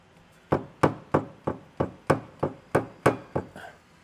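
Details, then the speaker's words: VW Touareg 7L used off-road: about ten sharp hollow clunks, roughly three per second, heard inside the car when changing gears; the propshaft knocks through excessive play, and the front donut rubber bush has started to crack. "that is because it's making a horrible noise from the prop so that's what you can hear inside the car when it's changing through the gears"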